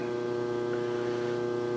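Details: Pratt and Whitney lathe on first start-up after restoration, Lima 4-speed electric motor drive, with a steady low electrical hum from the phase converter just beyond the wall; even buzzing tone, no surging or rattles, converter running normally.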